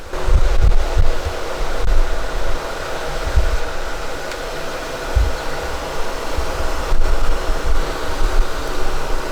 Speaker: main fans are running and those babies put out some air